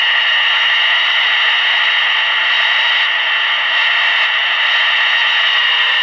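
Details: Clegg Interceptor receiver before service, on 40 meters through an outboard converter: a loud, steady hiss with no clear signal, heavy interference possibly from nearby LED lights.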